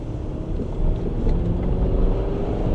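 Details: 2015 Mini Cooper on a test drive after replacing the rear wheel bearing: only smooth road rumble, with no growl or hum building with speed; the new bearing runs quiet. An older rear clunk is unrelated.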